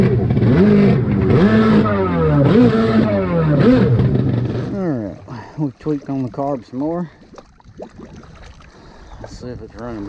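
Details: Rebuilt SuperFreak two-stroke watercraft on the water, running worse than weeks before and barely cranking: revs climb and fall unevenly, then stumble in short sputtering bursts and won't hold speed. Faulty carburettors.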